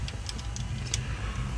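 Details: 3.6 Pentastar V6 minivan idling with light sharp ticks over low rumble; valve covers off showed failed rocker arms and a damaged bank 1 intake camshaft.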